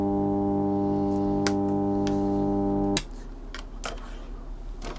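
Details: Ferguson TX90 TV/monitor before repair, powered on with the main supply boost voltage at C191 reading 96 V (okay). Loud steady low buzzing drone that cuts off after about 3 s. The cause was a failed 12 V regulator outputting 16 V instead of 12 V.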